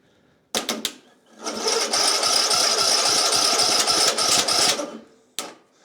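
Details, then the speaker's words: Craftsman YT 3000 lawn mower, starter powered directly and air intake blocked: a fast, even starter whir for about three seconds with no firing. It cranks but won't start; the owner suspects no fuel is getting in with the carburetor on. "yeah that should have started but I don't think my gas is getting in cuz the carburetor is on there"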